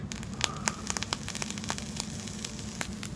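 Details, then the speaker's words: Vape tank with a plain Kanthal wire coil while firing: irregular sharp pops and snaps over a soft sizzle; the Kanthal coil is popping and crackling, unlike stainless steel coils which stay quiet. "all right here on this build it's just regular kanthal hear it popping and snapping I have tanks that do that too"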